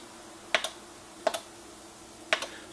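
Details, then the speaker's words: NuTone IMA4406 intercom master station after service, with relays earlier clicking oddly: crisp, even double clicks in a quiet room, one click on push and one on release for Door and Inside Patio Talk; relays switching correctly. "one click when I push, one click when I release. And same thing on Inside Patio Talk. So that works correctly."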